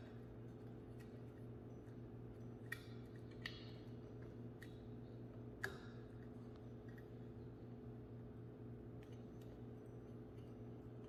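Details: Newly replaced ceiling fan light pull-chain switch: over a steady fan hum, crisp clicks come with each pull as it snaps over cleanly. The old faulty switch made no click, only sliding friction.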